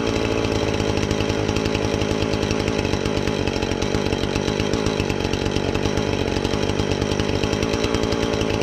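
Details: Husqvarna 450 X-Torq chainsaw that wouldn't run, new chain and bar fitted, started to check and adjust the carb (special adjusting tool bought): steady high buzzing two-stroke note holding speed without stumbling or surging; normal chainsaw running.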